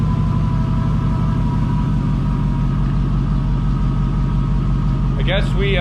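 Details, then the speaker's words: 5.3 LS V8 swapped into a 1988 Firebird, second day running, warming up with solid oil pressure: even, deep idle with steady rumble, earlier lifter tapping gone as the lifter pumped up; normal idle. "see now I don't hear that clicking noise anymore that tapping [Music] noise"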